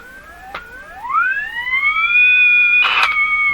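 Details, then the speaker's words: Jewel Model 505 vacuum tube clock-radio during IF alignment at 455: a pure whistle sweeps upward, then holds as a steady high squeal with overtones; oscillation squeal, signal feeding from IF output back to input, suspected capacitor fault. "this is just screaming an oscillation. So something is not, something is conveying a signal from the output of the IF back to the input somewhere."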